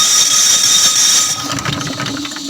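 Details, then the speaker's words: Starter motor on a 186F diesel with a used geared flywheel and an N40 battery, run through the key switch without starting the engine: high steady whine for about a second, then a clean spin-down with no grinding; the pinion throws forward and retracts, normal. "Oke kita bisa Sutarya bisa Sistar tanpa menyalakan mesin jadi dia begitu di stardia pendeknya itu langsung lari ke depan"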